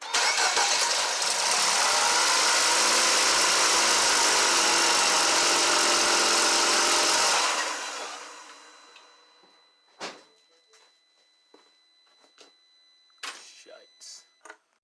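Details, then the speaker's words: 2012 Mini Cooper Countryman after bottom-end rebuild for P0304/P0300 misfire, after plugging the injector back in: steady, even running about eight seconds with no misfire, then winds down and stops; oil feed line leak remains; normal idle. "so all right that's the smoothness i want here so i can like sleep with ease"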